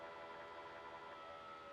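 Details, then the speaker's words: 2007 Honda Goldwing ABS rear shock preload pump, seat and rear fender removed, after oil was topped up in the pump: steady electric motor whine, strained from setting 6.8 as it pushes oil; pump working properly, fixing vague handling. "on entend ici or donc à partir de 6,8 le moteur électrique est contraint parce que là il envoie bien l'huile"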